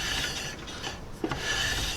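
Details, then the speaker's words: Jeep Cherokee rear drum brakes, new Power Stop coated drum kit just adjusted, hub spun by hand: faint soft rasping swish with no drag or grab; shoes lightly kissing the drum, correct adjustment. "i can still hear the brake pads or the brake shoes on the drum but i don't really have any drag it spins nice and easy and they're adjusted good right there you can hear it but it's really not dragging that's exactly where you want to be"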